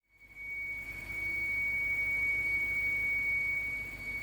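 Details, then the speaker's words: Audi S6 with 4.0T engine at idle: steady high whistle over a very quiet idle that never wavers; a common fault, generally a failed PCV oil separator. "this is a very common issue if you do a little bit of research you will find that this generally speaking is going to be failure from the pcv oil separator"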